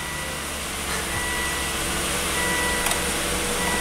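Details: Volvo wagon after crank no-start repair: replacement used fuel pump control module fitted, codes cleared, fuel pressure rising from 43 to a commanded 55 PSI at 50% pump duty cycle; even, smooth running with steady hum, no misses or knocks, normal.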